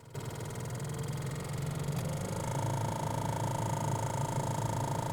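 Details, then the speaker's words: 2007 Honda Civic 1.8i VTEC EXi hatch, cabin blower fan; steady fan roar with an uneven fluttering rub and a thin whistle setting in partway, once worse; owner first thought a bearing, now suspects a leaf or paper stuck in the blower motor. "I initially thought it was a bearing or something, but the sound changed yesterday. So I think there's a leaf or a piece of paper stuck into the blower motor."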